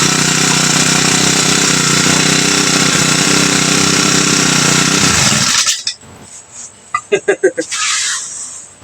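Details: TX35 four-stroke brush cutter that wouldn't start after the owner fitted a new carburetor, primed and started with fuel poured in: revs high and rough, keeps running several seconds, then cuts out; now starts.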